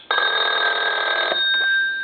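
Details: Repaired German DT telephone: loud metallic ring holds steady over a second, then cuts off cleanly; bell strikes crisp and even, working properly.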